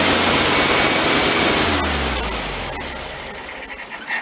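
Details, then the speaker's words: VW Beetle air-cooled flat-four parked since 1995, with a new battery replacing a swollen one and fed fuel from a bottle: steady even chugging with a faint high squeal, dying when the bottle is pulled away. Runs well, but there is no fuel from the car's own supply. "Definitely running off the bottle though. Nothing from the car. As soon as I pull it away, it dies."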